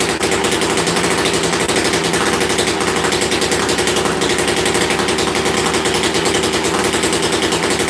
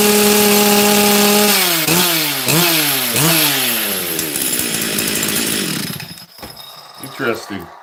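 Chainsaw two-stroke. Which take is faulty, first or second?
second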